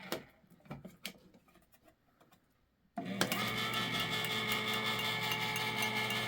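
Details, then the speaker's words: Electric can opener, at least 40–50 years old, cutting a can with its housing open: quiet clicking, then a loud, steady high-pitched gear whir and grind under load. Worn or dry gears are suspected, and gear oil is planned. "guess it's not that much quieter that was kind of cool using it while it was open like that"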